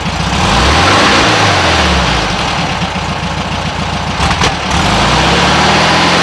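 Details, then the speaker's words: 1967 VW Westfalia Bus, warm engine idling fairly well, with 009 distributor: quick throttle stab makes revs flutter and stumble before picking up, smooth only if throttle tapered; owner suspects the 009's known dead/flat spot. "if you taper it it seems to be all right you got to tape for this thing really a lot to run fairly smoothly but just a quick step on it yeah it seems to flutter"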